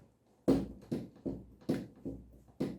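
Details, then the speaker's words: Office chair rocked giving six dull, hollow knocks from inside the gas cylinder (piston), caused by a broken internal rubber bumper needing replacement. "این صدا مربوط میشه به داخل پیستون و باید پیستون رو باز کنم تا ببینم مشکل دقیقا از کجاست"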